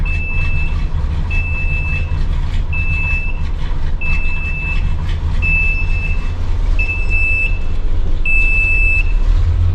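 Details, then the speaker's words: RV rebuild cold start, running with no choke: steady engine rumble with a high warning tone beeping about every 1.3 seconds; low oil pressure alarm sounding, owner wonders if it is a false alarm. "Low oil pressure's going off. Wonder if that's just a false alarm or..."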